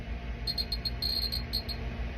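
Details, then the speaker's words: GM survey meter probe held against a Cs-137 check source, reading about 1.2 mR/h. Sharp, high clicks in quick irregular clusters over a quiet hum, getting louder and faster closer to the source: normal detector response. "you can hear it ticking and the closer I get to a uh radiation Source the louder and the faster it gets"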